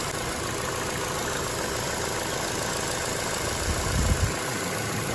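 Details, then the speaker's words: Chevy Cruze 1.8L non-turbo petrol engine at idle, running very lean with short-term fuel trims climbing to 22–30% (P0171): a steady airy hiss over the idle, a major vacuum leak from a ruptured PCV diaphragm built into the valve cover. "It's running very lean. So what would you do next? Where would you take this? I think I hear a vacuum leak already."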